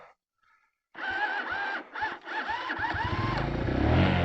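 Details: Motorcycle that would not start: a few short starter whirs with rising pitch, then it catches and builds to a quick, even idle. It starts once warmed up; an empty battery is suspected.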